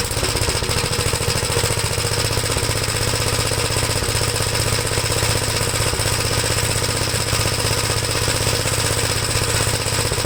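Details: 1973 Gravely C8 walk-behind tractor running a donor single-cylinder engine with a Fairbanks-Morse magneto after a swap and ignition timing work; the owner is unsure whether the governor is set right. It thumps along at a fairly steady speed with a loud, rough exhaust beat: running after the swap.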